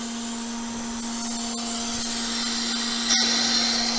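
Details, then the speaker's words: Woodturning vacuum chuck system with the relief valve opened to release a bowl; steady pump hum under a constant hiss as air bleeds in and vacuum drops to about 10; working normally. "open the relief valve so i hear the vacuum going out it's down to about 10 kilograms"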